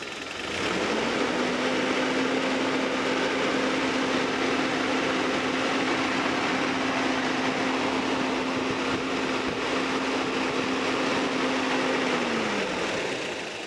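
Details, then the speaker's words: Freshly rebuilt Toyota 22RE four-cylinder truck engine, warm idle after first fire as the thermostat opens: steady, even hum with one constant flat tone, no knocks or misses; ran about 31 minutes flawlessly. "just uh trust and believe that it ran for the next 31 minutes and 29 seconds pretty doggone flawlessly i'm super happy about it"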